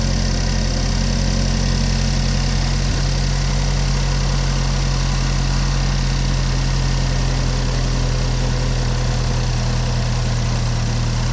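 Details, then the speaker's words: 2015 GMC Terrain with a P0010 code and check engine light on, idling with the mic under the hood: steady, low, rough idle with faint uneven puffing; exhaust leak somewhere underneath. "definitely got an exhaust leak somewhere underneath somewhere between the engine and the KO"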